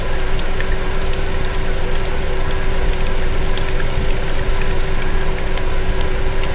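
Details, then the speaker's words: Automatic transmission pump buzzing at idle after warm-up; vehicle won't move when warm, acting low on fluid. Steady mid-pitched buzz over the engine rumble from a failing pump; drained fluid brown, mud-like, viscous, smelling weird. "You guys hear that buzzing sound inside of this transmission? That's not a good sound. That's the pump making noises."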